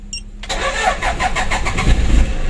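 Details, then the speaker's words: Toyota Innova 2KD diesel freshly rebuilt, during break-in: starter churns over a second before the engine stumbles, catches and runs rough; check engine light on, won't rev past about 4000 rpm, not yet scanned. "begitu staternya atau hidupnya itu agak panjang teman-teman"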